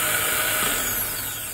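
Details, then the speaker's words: Powermaster 9103 small-block Ford starter, about two months old, bench-tested on 12 volts after new solenoid fitted: short smooth whir spinning up and down, pinion extends properly, no grinding; normal starter spin. "so yeah I mean it sounds good veneks comes out like it should"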